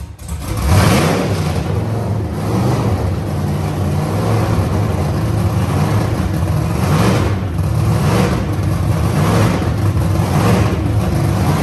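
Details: Wagon project car's first start after lean condition traced to manifold leak, temporarily sealed with painters tape on back of manifold: catches, steady even idle with a couple of clean revs, no hunting or stumbling; running normally.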